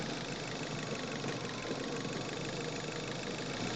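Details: Manual car on a test drive in Quezon City with the mic in the engine bay: loud, gritty engine roar under acceleration with a faint rattly metallic edge; engine knocking when accelerating, fuel knock (detonation).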